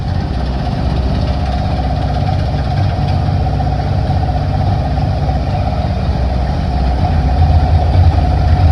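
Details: 1960 Grumman Olson curbside van dragged out of a field, running for longer after water was added to the radiator: a steady, low, even idle rumble with no misses or knocks.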